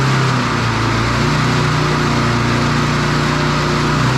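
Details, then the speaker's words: Standard push mower single-cylinder engine after a broken governor arm spring fix. Even, high-pitched drone with no hunting. The spring was moved one notch, a couple of mm, and the engine runs overspeed. "so as you could hear there that was the difference of moving that spring from one notch to the other which was only a couple of mil difference in it"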